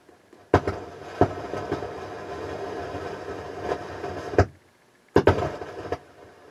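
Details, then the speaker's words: Harman Kardon HK580i receiver: bursts of crackling static cutting in and out when the board is touched or heated; suspected cracked solder joint or bad transistor. "yeah we definitely have a problem there either it's a crack solder it's a crack solder or a bad transistor which one is it this"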